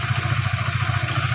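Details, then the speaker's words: Used, previously seized Honda Sonic 150 after camshaft cover wear from dry oil was fixed, idling: low, even quick thump, fairly smooth with faint unevenness, normal for a used bike; normal idle. "suaranya lumayan halus teman-teman ya ada sedikit ada sedikit pasar itu Ya wajar lah ya karena motor ini bekas Motor macet"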